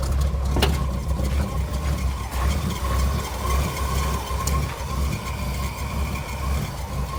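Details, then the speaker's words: Truck V8 at steady idle just after a flooded restart, with a faint thin whine over the engine note from the alternator, which is dead and not charging (gauge flat); alternator whine. "Of course, the alternator is making noise now."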